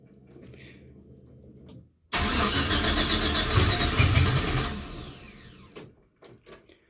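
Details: 1966 Chevy C10 with LS swap: cranks evenly about 2.5 seconds but won't fire after a new 225 psi Gates fuel-injection line; air in the line, with pressure bleeding off in the tank suspected, fuel setup doubted.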